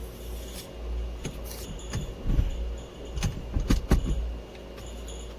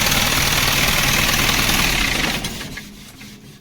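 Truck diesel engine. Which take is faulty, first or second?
first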